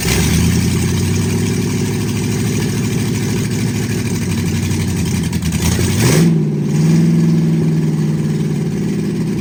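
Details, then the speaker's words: 1960 Ford F100 shop truck, just revived after years sitting, open headers: lumpy, uneven idle with an irregular low beat, and a rev blip settles back unevenly; the owner suspects a gummed-up carburetor and metering plate, not confirmed. "All right. Well, it's showing to idle. It's got a lot of issues. I got to figure out the um Well, I mean, I'm sure it's got gum up in the carburetor."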